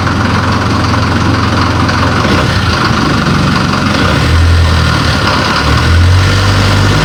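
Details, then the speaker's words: Series 2 Land Rover diesel idling on first start in three years, on 3-year-old diesel after a new starter motor was fitted and the battery found weak. Loud, steady clatter, no misfire or hunting, sweet-running: normal idle. "3-year-old diesel. But she's running sweet as a sewing machine. Very loud sewing machine, but fantastic."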